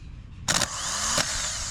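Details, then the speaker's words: Starter motor from a 1976 VW Kombi, bench-tested on the battery with chassis earth: sharp solenoid click then steady high whir spinning freely; starter working normally. "there we go better test so that is how you test your starter motor so it appears to be working"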